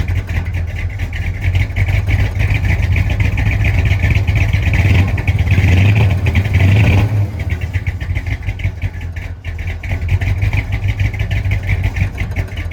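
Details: 1965 Chrysler 300 non-letter car, 383 V8, revived after sitting since 2005 in the California desert following transmission issues; carburetor mixture screws about 1.5 turns out, still needs timing. Deep, lumpy burble from behind, swelling on a throttle blip, then back to rough idle.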